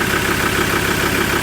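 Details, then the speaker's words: Ford Ranger diesel with automatic transmission, after transmission/torque converter repair: short even idle, steady clatter without misses, knocks or whine; running fine, though it misses when cold and a glow plug code is suspected. "Well, that's all done and she's running fine."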